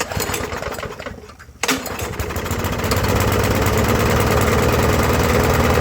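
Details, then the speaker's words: Briggs & Stratton push mower, about 20–25 years old, after carb clean, new carb gaskets and new head gasket: catches after a pull, chugs low and uneven, still missing and not coming fully up to RPM; air filter box loose. "Well, I can still hear it missing. Uh, it is a 20 25 year old push mower. I don't feel that it's coming fully up to RPMs."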